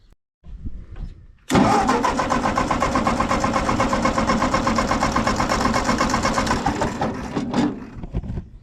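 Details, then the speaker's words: Ford 8N tractor after the carburetor was gone through: the starter churns steadily just under three turns a second for about six seconds and never fires; a failed ignition ballast resistor; the owner had suspected low compression or an intake issue. "well this thing is being awfully stubborn again I'm not sure what we got going on"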